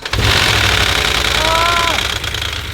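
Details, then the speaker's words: 2011 Mercedes ML63 AMG salvage-auction first start: about two to three seconds of rapid uneven metallic marbles-like clatter, then runs fine; suspected oil not reaching where needed at startup. Cold-start rattle. "that was not good but now it's running just fine"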